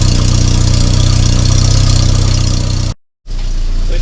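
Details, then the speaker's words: 1994 Volvo 480 2.0 ES project car finally started on a struggling boost starter; fast regular puffing over low idle rumble, suspected large exhaust leak at a worrying bracket near the engine; loud exhaust puffing at idle. "oh we've got it started on our last attempt that sounds to me like we have got a Monumental exhaust flow unfortunately coming from that that bracket that I was worried about"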